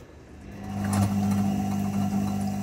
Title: What is this sound coming while spinning from my IFB front load washing machine